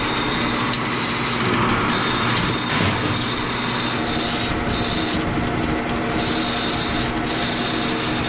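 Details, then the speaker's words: The homemade guide roller on a copper wire stripping machine spins dry on two scrap spacers with no bearing. It gives a steady, piercing high squeal over a constant rumble, and needs a bearing. "oh I knew it was going to make that noise yeah we're gonna have to get something with a bearing"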